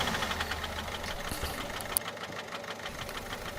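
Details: Peugeot 407 1.6 HDi diesel idling: sharp, steady tick about three times a second over the clatter; knocking at idle, low oil pressure among suspected causes, not confirmed.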